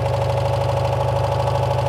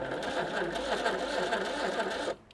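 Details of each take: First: 1985 Citroen 2CV6 Special two-cylinder barn find, just revived after long storage with oil put down the bores: steady, even putter with regular firing beat, no misses or knocks; idles cleanly and smoothly. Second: 1985 Citroen 2CV6 Special barn find, one family owner, two-cylinder, being revived after long storage: steady labored whirring as the starter drags the engine over slowly; pistons and rings tight in their bores, and the starter is suspected slow too.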